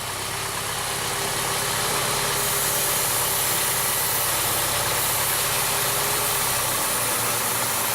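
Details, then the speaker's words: 2009 VW Eos 2.0 TSI (engine code CCT) with lean misfires, idle: starting fluid sprayed at the engine-gearbox joint changes the idle tone and drives the fuel trims to −25, then they return; a vacuum leak at the rear main seal. "might have heard of changing tone of the motor where that took it all the way the negative 25 and I stopped spraying now"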